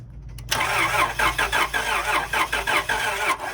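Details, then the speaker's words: 1999 Acura TL that had been running rough, now cranks steadily about three turns a second with no firing at all after mass air flow sensor cleaning; no spark found, with a broken connector and a burnt ignition fuse found. "okay so you don't have any Spar at all damn"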